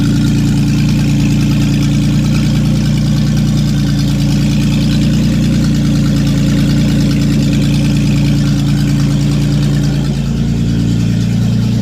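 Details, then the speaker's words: Datsun 280Z first start in many years after fogging oil down the plug holes, no exhaust fitted: very loud, raw, blatting idle with a deep steady throb dumping straight out the open manifold. "sweet as you can hear there's no exhaust it's just an open manifold I guess you can't see we can see that down there but it's just coming right out of the manifold no exhaust"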